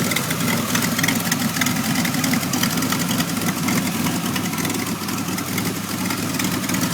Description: Here is a video of my 1991 Firebird v6 that is now able to start and idle but the idle is very rough and I am still getting codes 33 and 43.